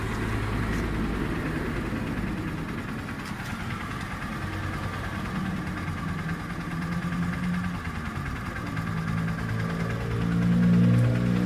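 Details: New Honda TMX Supremo 150 single-cylinder motorcycle with diaphragm-type carb, fairly new but brought in as noisy: even idle thumping about three beats a second, no sharp valve tapping on top; valve train sounds quiet and healthy.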